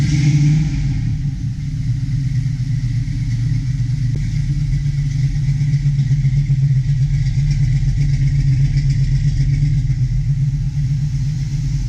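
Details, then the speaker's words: 1972 Chevy Nova SS V8 with FiTech fuel injection, new plugs and oil, cold idle around 950 rpm, air-fuel ratio 13.3 versus 13.1 target, coolant 53; deep even rumble, no knocks or misses, healthy. "all right as you can see there we're cold idle right around 950 give or take a little bit air fuel ratio is thirteen point three"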